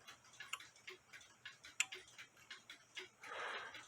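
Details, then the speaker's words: Nisshindo 100-day torsion/anniversary clock, plate 1469E, with a new suspension spring, heard via a beat amplifier: light, even ticks about every half second, with clicks about 180 degrees apart, so the clock is in beat. "click there and it's clicking about there which is about like I said about 180 degrees apart from each other and that's what you want"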